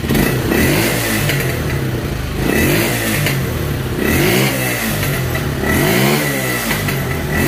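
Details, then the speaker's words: Motorcycle, warm, after replacing a suspect part: revs up and settles back repeatedly with crisp, even firing and no stumbling. A notable improvement over the earlier bogging and stalling. "vemos una mejora bastante bastante notable"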